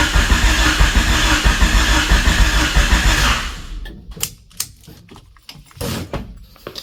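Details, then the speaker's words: 1999 Honda Civic EK hatchback revived after sitting for years, first start attempt; starter, relay, fuel pump and ECU working; steady cranking about ninety turns a minute for three seconds, never catches; owner suspects firing order, injectors or no spark. "Well, starter works. Starter relay works, but it's not firing."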